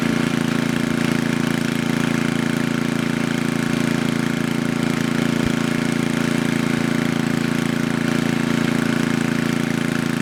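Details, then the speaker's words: Coleman Powermate Maxa 5000 ER generator after reassembly, carburetor drained and bottom fuel mix screw adjusted: steady, even drone at governed speed, no hunting or stumbles; fixed, running properly. "Alright, there is nothing wrong with this machine anymore. It was just the fuel mix screw on the bottom."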